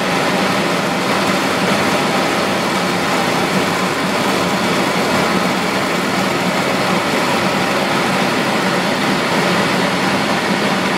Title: ACCUSIM: Cavitation in a pump at best efficiency point